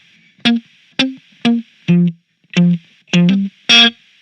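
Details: Spark Mini battery practice guitar amp, Plexi amp model, firmware up to date, no noise gate on: thin high hiss appears with each note above a threshold and cuts out cleanly in the gaps, worse with treble up; gated-sounding hiss.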